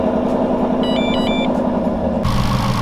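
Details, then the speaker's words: Whipple-supercharged 2018+ Ford Mustang GT (6-speed manual) at idle: a light, uneven rattle and slight squeak under the V8 rumble from a bad idler pulley, possibly the tensioner pulley, with the belt fraying and possibly slipping. "can kind of hear the rattle right now. It's not too bad, but last night when I started it up, that idler pulley was going crazy."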